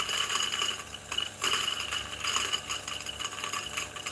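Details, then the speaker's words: New DF64 flat-burr single-dose grinder with first beans: quiet motor hum under busy, uneven clicking rattle of beans popcorning in the throat instead of feeding; a cover can be fitted on top to stop it. "so now because oh you can see some popcorning right so what you can do is you can install this cover this up"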